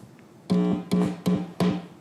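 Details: Four sharp pops, each followed by a short, low buzz, as a live unmuted 1/4-inch instrument cable is plugged into a mixer with a Neutrik silentPLUG's collar held down; the plug otherwise mutes the cable until inserted.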